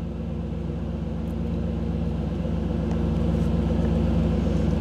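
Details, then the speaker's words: 1985 Camaro IROC-Z TPI engine idling with an OBD-I scan tool connected: steady even low rumble at a raised idle of about 975 rpm while the tool pulls its data stream; it drops back to about 750 rpm when the tool is exited. "you could hear the difference in the idle what that is is when i dropped out of when the when i went out of the tools display when it's not getting the data stream then the idle drops back down"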